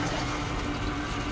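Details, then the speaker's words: Rheem Prestige condensing tankless combo boiler at first power-up: its auto-fill valve kicks on, giving a steady rush of water with a faint constant hum as it fills the heating loop, not yet up to 12 PSI. "that's the auto filler just kicked on it sits on fill apparently"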